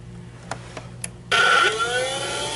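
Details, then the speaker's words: Rainbow E2 Gold 2-speed vacuum after repair, with the broken water-basin contact jammed by a screwdriver to test: quiet clicks, then the motor kicks in with a rising whine that settles to a steady hum, a normal startup. "Such a strange sound. Listen to that startup sound. It's such a strange sound when it starts up. I love it."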